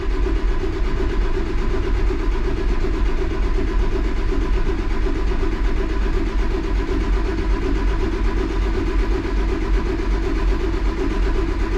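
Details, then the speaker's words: Cummins ISC 8.3 diesel cranks long and steady without firing, rail pressure slow to build; air bubbles seen in the clear hose on the suction side of the gear pump after bleeding at the filter head. "there is air coming through that line bigger than [ __ ] yes there is air in that line that's on the suction side of the gear pump"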